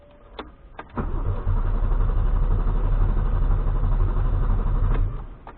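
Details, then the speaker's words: First start on aftermarket ECU tuned live in TunerStudio: starter churns about four beats a second for roughly four seconds without catching; hard, long crank, owner suspects too much fuel from crank/warm-up enrichment (fuel smell). "Has a hard time starting, so you go to crank settings."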